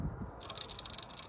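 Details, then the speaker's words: Junkyard Denso alternator from a 1990-97 Honda Accord CB7 sedan, pulley spun by hand: a dry, rapid ticking rattle when the unit is tipped upward, smooth and silent on its side; owner suspects metal debris or a rough bearing inside. "I don't know if some metal debris fell in there or not but I'm not liking that noise right there for whatever reason you turn on the side and you spin it doesn't make that noise"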